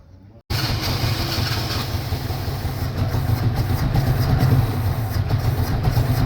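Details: 1983 Chevrolet Chevette hard-starting: an uneven, sputtering low rumble right after cranking with no steady beat, the engine stumbling and stalling from a misfire.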